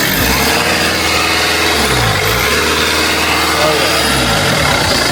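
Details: Mercedes-Benz Sprinter 2.1L diesel just after turbocharger replacement, turbo primed with oil, first startup and rev: steady even run, pitch climbs and falls cleanly with no whistle or rattle; normal revving.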